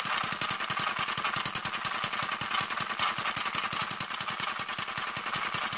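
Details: Newly built Kerzel hit-and-miss model single-cylinder engine, still running in: fast sharp even clatter of ticks over the engine beat; tight new gears noisy until run in, governor mechanism also stiff.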